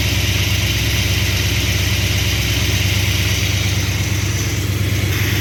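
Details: V8 with freshly rebuilt Thermoquad carburetor at baseline mixture settings, cold start: even, steady burble at raised fast idle around 1,000 rpm (lower than wanted), no misses or knocks; vacuum steady 15–20; running normally.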